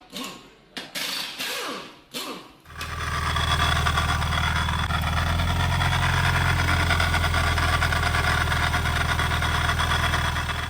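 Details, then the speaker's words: Toyota GT86 with aftermarket Sprintech bolt-on supercharger that has slight play, idling with a fast, steady metallic rattle riding over the low hum; not the coupler, but the supercharger's two counter-rotating gears touching each other. "With this supercharger there's a little bit of a play. Now you can hear that sort of knocking noise, and when that sort of occurs, it generally is one of two things."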